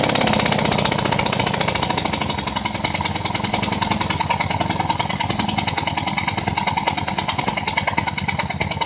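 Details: 2004 Ford Escape, just started and moved into the garage: loud, sharp, hissy puffing tick keeping time with the engine like escaping combustion gas; spark plug blown out of its threads, to be repaired with a Time-Sert insert.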